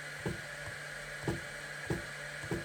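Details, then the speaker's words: Longer Ray 5 diode laser (GRBL, web UI) jogging in 0.1 mm fine steps: four short, crisp stepper clicks about a second apart over a faint hum; steppers step cleanly, normal. "So if you're jogging the laser and you want some fine adjustment, now you can just hear the steppers clicking"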